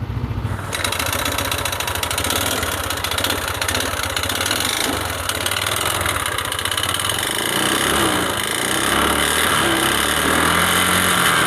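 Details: Yamaha Lexi 125 scooter after engine rebuild for worn piston from running low on oil: starts cleanly into a steady even idle, no knocking, far better than before; slight smoke remains from wet exhaust.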